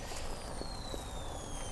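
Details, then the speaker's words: Traxxas TRX4 crawler with Cobra 10 32-bit ESC and 3500 kV Polar Pro 540 motor: a thin high motor whine under steady throttle suddenly speeds up, then sags as it loads down, with no in-between; cause not confirmed. "you can hear it. It loaded down. And I'll give it just a teeny bit more throttle. It's almost like there's no in between."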